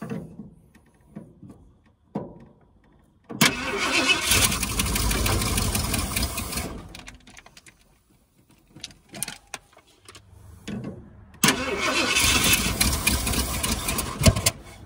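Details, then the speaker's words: 1978 Ford Bronco Ranger XLT 400 engine, sitting 20+ years, start attempts: cranks, catches in rough sputtering bursts with pops and dies; backfire through the coil, timing suspected slightly off. "I think the timing may still be off just a hair. So, I'm going to back that off just a little bit. Backfires through the coil."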